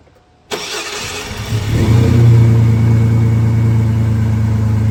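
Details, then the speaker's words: GMC Sonoma truck, cold, after misfire fixed by crank sensor relearn (plug wires 3 and 1 earlier swapped): catches within a second, settles to even steady idle at 500 rpm, no stumble; normal idle. "Yeah, she's running good now. And she's idling right now. She's a little cold."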